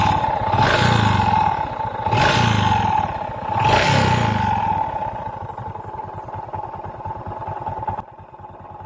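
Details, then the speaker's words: Honda XRM 125 carburetted single-cylinder, before teardown: revs up and down three times, then a rough idle with a dry rattling clatter underneath; worn crankshaft side bearing, later fixed by replacing the side bearing and connecting rod and reboring. "Before natin paandarin ang kanyang motor, iparinig ko muna sa inyo ang tunog ng kanyang makina. Hindi pa natin ito binaklas o inabuhin."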